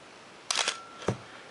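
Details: Canon AE-1 Program 35mm SLR (1981), lens removed, fired at around 1/30–1/15 s: crisp clack, short faint whir, then a sharp click as the mirror returns; clean, even firing.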